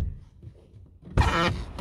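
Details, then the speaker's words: Sagging car door opened from inside: latch thunk then short rubbery squeaking creak as the door seal rubs against the neighbouring rear door; fix is shimming under the hinge to raise the door without replacing hinges. "сейчас покажу как это все выглядит ну наглядно как двери просела и как она при открытии скрипит резинками"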